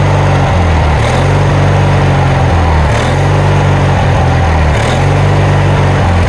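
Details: Kohler Magnum 20 engine's first start after repairs, run from a temporary gas tank with the carburetor just refitted and the choke left on (choke cable frozen). A loud thrum surges and dips about every two seconds, hunting: rough running, carburetor needs adjusting.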